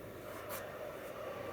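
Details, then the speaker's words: 2006 Toyota Prius Gen 2 after a fuel tank and embedded fuel pump replacement for code P0A0F, the engine-failed-to-start fault: pump primed from an external power supply gives a quiet, steady mid-pitched hum, working normally, and the fault is fixed. "that's a good sign the pump's running I can hear it nice hey just like that it's working"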